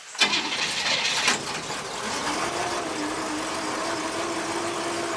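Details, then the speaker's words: Aunt Buck, carbureted with no choke, cold start after about two weeks sitting and several gas-pedal pumps: rough burst as it finally catches after hard cranking, then settles to a steady idle; owner suspects flooding from too many pumps. "that's not good pop the hood and see what's going on come on she trying maybe a little flooded maybe too many pumps"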